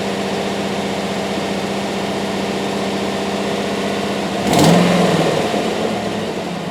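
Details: 2007 GMC Yukon 5.3 V8 after first start, held at about 1800 rpm: steady, even drone, no misses or knocks, one brief louder swell; engine runs cleanly at raised rpm.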